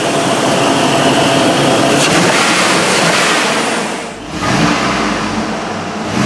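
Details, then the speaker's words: GMT800 Yukon 5.3 V8 started one last time, with the coolant draining, before the front clip is pulled for an engine swap; fires up and settles into an even idle with a rev blip or two, smooth and healthy. "Hard to believe that'll probably be the last time I ever hear that 5.3 run."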